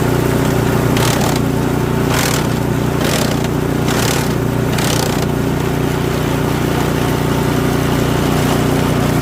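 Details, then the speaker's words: Toro 721R single-stage snowblower, single-cylinder, sat a few years, fresh fuel with stabilizer: steady, even chug at constant speed, quiet, no knocks or misses. Normal running. "Good. Quiet. Sounds good."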